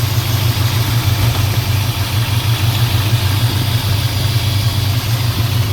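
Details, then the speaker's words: Fully restored 1968 Dodge Charger R/T, 440 big-block V8, manual; even steady low rumble at idle after starting on one gas pump, no valvetrain tick, knocking or belt noise; engine healthy. "The engine starts up smoothly. Only one pump of gas is run. idle smooth. No hot no valve train kicking noise. I don't hear any noises from the belt."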